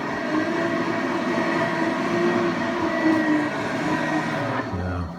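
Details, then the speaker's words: Forge blower after repair: it screeched because a bent housing lip rubbed the blades around the 9-to-10 o'clock area. The lip was peened with a brass hammer for about 1/8 inch clearance; it now spins with a steady even whir and no scraping, quiet. "I got about an eighth inch of clearance in there now. And um boy, she's quiet as a mouse now."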